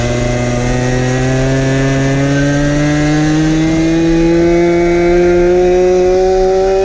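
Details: 1970s ARCO 3533 mini bike, first ride after a budget get-it-running fix including a leaking fuel tank grommet: a raw, unsilenced two-stroke howl held flat out, pitch creeping higher, at about 10,000 rpm while doing about 5 mph.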